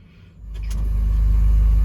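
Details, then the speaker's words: 2004 BMW 330Ci E46 after fuel pump assembly replacement, started on jump leads because the battery was flat: starter turns, engine catches and revs, then settles into a strong, even run; fuel delivery restored. "Oh, she's fired, running away. Battery was flat, so I needed to give it a jump."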